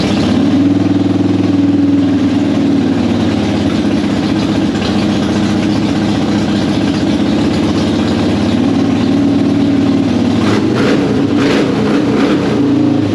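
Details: Normal running on a 2005 Harley-Davidson Softail Deluxe after fixing slow cranking and hard starting by wire-brushing the battery cable contacts, choke out: steady, lumpy V-twin beat with throttle blips and no misses.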